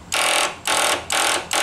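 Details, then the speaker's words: Hustler lawn mower with a Kohler engine and intermittent starting, key turned during power-probe solenoid testing: rapid repeated buzzing bursts about every 0.4 seconds with no cranking; solenoid chattering, suspected bad connection. "oh that's a new sound sounds like a bad connection at that point throwing my video off a little bit"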